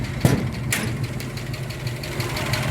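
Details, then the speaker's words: 289 V8 idling with a light, fast ticking over the low rumble; suspected noisy lifter, not confirmed. "and you can still hear the old lifter tick um and that's what that's something I want to try to get rid of"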